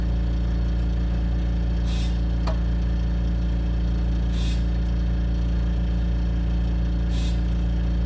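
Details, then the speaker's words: 1988 Wanderlodge diesel during brake slack check: steady low drone with cyclic pulsing swell about three times a second; cause unknown. "It's kind of cyclic. That's what somebody was describing on the forum."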